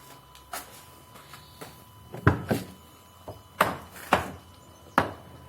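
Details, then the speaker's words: Alfa Romeo front door being opened and closed: irregular woody clunks and pops each time the door is worked, from a worn door check strap (limiter), part number 60650423. "How to replace this this part from your door that makes that horrible noise that you heard just yet."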